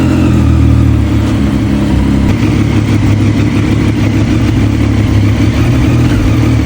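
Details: Triumph Street Triple, abandoned bike restored, first start after fluid, oil and filter change; earlier seemed to run on two cylinders, injector cleaned with throttle body cleaner; now loud, steady three-cylinder running with firm even beat, clean rev, no misfire.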